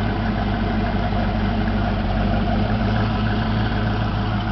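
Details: 1988 Ford Mustang GT convertible, 5.0 V8 with 4-speed automatic overdrive, about 101,666 miles and mostly original, exhaust never touched; heard at the tailpipe: steady, even V8 idle burble with a smooth low rumble and no misses, ticks or leaks. Normal idle.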